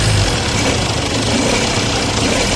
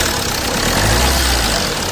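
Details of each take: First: Jeep Compass at idle and light revs: a dense, rough rattle over the idle that grows with revs, traced by removing the fan belt to the alternator. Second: Jeep Compass diesel at idle after the front-end vibration noise repair (fan belt removed and checked, mounting, diesel filter, ACM and brackets refitted): steady, even idle with no rattle, vibration or chirp from the engine front; noise fixed, sounds healthy.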